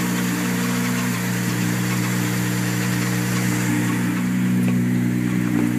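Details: Steady idle with a busy, fast rattle of roughly three or four beats a second on the engine note; rattling noise at idle, source unclear.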